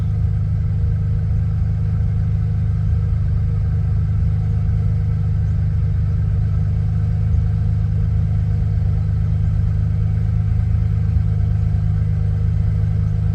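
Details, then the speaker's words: 1991 Ford Bronco during restoration, after timing set: smooth steady drone idling around a thousand rpm, faster than wanted, no hunting; idle set high, cause unconfirmed. "let's see if it'll come down idle will come down on it own not too bad I like it well idling right out about a th I don't really care for that too much"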